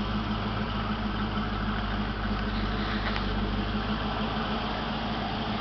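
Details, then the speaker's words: 1988 Ford Mustang GT convertible, 5.0 V8 with 4-speed automatic overdrive, about 101,666 miles, mostly original, alternator replaced; heard near the tail lights just before shutoff: steady low exhaust burble, even pulses, no misses, knocks or ticks; the owner says it runs well. Normal idle. "and i'm going to turn her off so that's the 5.0 and i can testify it runs well"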